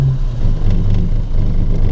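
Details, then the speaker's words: 1974 Valiant, first start in months after freezing below-zero weather: low, uneven lumpy running with dips right after catching, struggling and nearly stalling after a hard start; owner suspects fuel delivery; rough cold running. "rattle struggling oh whoa it's gonna stall oh two ways about it that was a pretty hard start"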